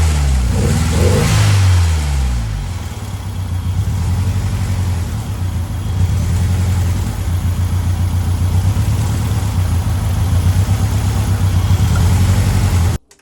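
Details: Ford Escort Cosworth before road test: after a short rev it drops to an idle with an irregular stumbling pulse that skips beats; misfire on cylinder number 1.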